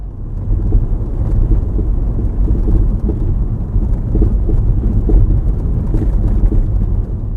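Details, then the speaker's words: Skoda Fabia Mk1 1.9 PD hatchback driven over bumps: dull juddering knocks from the rear right through the road rumble; the rear bump stop shroud had come loose and the shock absorber was leaking oil. "I was out in the fiber the other day and I could hear some knocking from the rear end. Felt like it was coming from the rear right side of the vehicle. When I went over some bumps, I could hear this juttering knocking"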